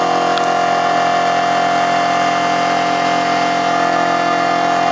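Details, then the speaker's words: Homemade Muller generator replica at high speed, one generator coil driving a 40 W bulb; fast whirring hum with busy metallic chatter, loose pieces rattling, expected quieter once tightened: rattle from loose rotor parts. "it's uh fairly noisy um I've got some loose pieces in here that rattle so this always sounds like it's going to fly apart when I bring it up to speed as I button everything down tighter uh it will get quieter"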